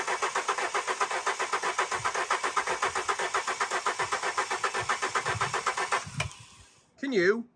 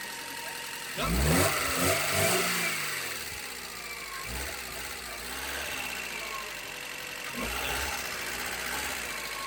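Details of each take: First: Alfa Romeo 145 Cloverleaf after sitting 8 years, fresh fuel added to a 3/4 tank: starter cranks at a rapid steady rhythm for about six seconds, never fires; fuel pump found not pumping, pump being removed. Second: Alfa Romeo 145 Cloverleaf revived after 8 years sitting: engine picks up cleanly on a few blips, drops back to a steady, slightly busy idle, then cuts off; runs fine, just needs oil circulating.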